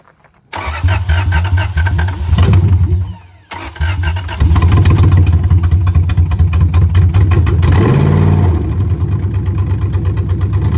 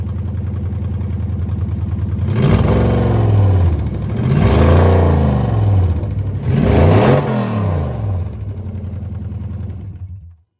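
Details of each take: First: 2001 Lexus IS300 with 1UZ V8 swap, first start after final engine installation; cranks, catches, surges and stumbles to a ragged idle due to a vacuum leak and unplugged mass airflow sensor. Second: 2001 Lexus IS300 with swapped 1UZ V8, after fixing a vacuum leak and connecting the mass air flow sensor: smooth blips, revs climbing and falling cleanly with an even exhaust note and no misfire or stumble.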